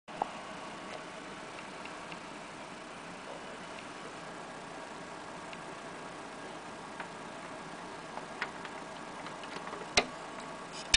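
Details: Laptop hard drive not detected or read: faint irregular ticks over a quiet background, sharper clicks near the end; click of death, cause not confirmed.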